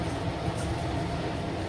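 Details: ILG B-30 blower running with its restriction plate fitted for back pressure and quieter running: steady, even low rush of air with no knocks, rattles or rising whine; normal smooth running.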